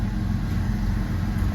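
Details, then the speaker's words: Jeep WJ 4.0 six after code P0351 shaking and poor acceleration, fixed by replacing coil and spark plugs and resetting the battery: starts on the first try, low steady even idle with no stumbles or shaking. "ด้วยสตาร์ทที่เดียวติดปกตินะ"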